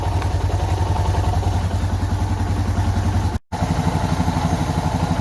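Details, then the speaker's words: Suzuki DR650 single running after fitting a K&N air filter and UNI secondary breather filter: even, steady thump with no popping or backfire as it settles; it breathes better, with no missing, and the stock-filter backfire is gone. "It honestly sounds like it's breathing a little bit better."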